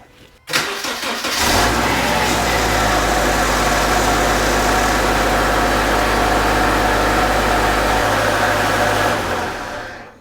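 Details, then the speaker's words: 2009 Subaru Legacy with a replacement JDM EJ25 non-turbo engine, first start after the swap. Brief cranking, then it catches cleanly and settles into a smooth, steady idle with no knocks or misses; some initial smoke was expected. "Hey, nice, that started up nice and smooth."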